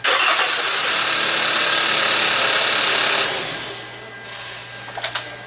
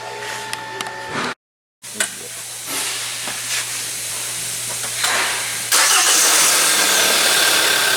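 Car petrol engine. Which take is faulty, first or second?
first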